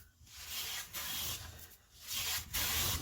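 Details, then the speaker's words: Clifton No. 5½ hand plane after its tracking problem was fixed, planing a walnut board: long, even hissing strokes about once a second with no chatter or skipping and no plane tracks. A clean, smooth cut. "so i believe we're pretty much there let's see no playing tracks at all"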